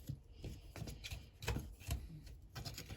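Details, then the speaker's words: Partly blocked sink drain during a vinegar and hot water unclogging test: quiet, irregular gurgles and glugs, a few each second, as water drains slowly past the blockage. "hear the drain gurgling a little bit there yeah"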